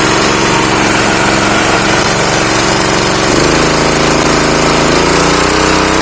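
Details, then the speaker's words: Honda GX160 pump engine left seized for years with lost compression, oil poured in the plug hole, choke closed. It runs rough, smoky and uneven, and dies when throttled. A dirty carburetor jet is suspected. "Nah, ini sudah bisa hidup, tapi berasap karena pancingan oli dari lubang busi tadi ini. Karena kompresinya hilang. Dan ini sedikit berbet, waktu digas langsung mati nih."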